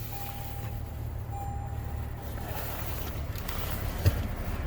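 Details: 2022 Toyota Tundra idling cold right after a start in a Buffalo NY blizzard at about 14°F: a low, steady rumble with an even beat and no ticks or stumbles, idling smoothly.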